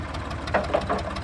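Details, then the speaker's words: Massey 2500 forklift with a Perkins AD3 152 diesel, long-stored, suspected fuel issue, now running again. Loud, open-sounding diesel idle with an even beat and steady clatter, no misses or knocks; it runs clean and healthy. "Now I'm gonna take her for a rip, but she runs good, eh? Let's hear it again."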